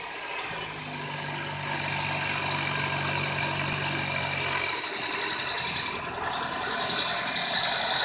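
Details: 2001 Toyota Corolla cold start on damp morning, first start of day: sharp steady high chirping squeal at idle, believed from left side; owner suspects belt or belt tensioner or pulley, unconfirmed; sometimes also occurs on light acceleration.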